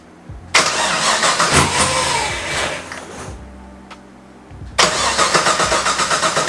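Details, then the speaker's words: Drift car with season-long crank sensor issues, ECU diagnostic light seven red: two bursts of fast even cranking about four beats a second, engine never fires; cranks but won't start. "I am getting so fed up with this thing so as you can see the car won't start right now"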